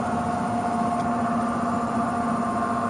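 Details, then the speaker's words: Existing furnace blower: steady droning hum with a rough rushing edge that never settles; very bad failing blower motor, to be replaced. "i got a strong feeling that in a couple minutes it's going to be on stop and oh that is the sound of a very bad blower so we are going to change that out"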